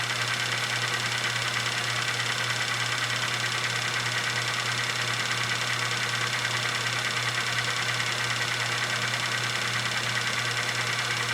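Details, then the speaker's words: GAF 588 dual-8 movie projector in rewind: a steady, even motor hum with a light whir, no knocks or scraping. Runs smoothly with plenty of torque, though the take-up spindle does not work in forward. "rewind okay there's plenty of torque"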